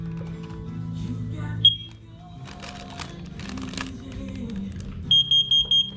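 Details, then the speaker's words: Carbon monoxide alarm in downstairs hallway on August test, horn partly covered: four quick high-pitched beeps in a steady group with room noise; CO alarm sounds correctly. "Trying to cover up the horn, but it's not working well. CO detector's good in the downstairs hallway."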